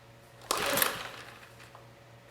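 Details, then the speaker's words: Sportsman GEN2200DFI 1800 W dual-fuel inverter generator (Yamaha MZ80 clone) on propane, after ignition coil replacement: two quick rasping recoil pulls about two seconds apart, no firing at all; no start, cause unknown. "choke off a choke G and we get nothing so we had no signs of life trying to start this on propane"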